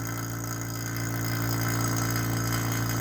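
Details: Vacuum pump pulling the overhauled original R12 AC system of a 1985 Mercedes 300TD W123 wagon down toward -28 inHg: a steady, even motor hum with a quick regular pulse of about three to four per second and no rattles. Running normally.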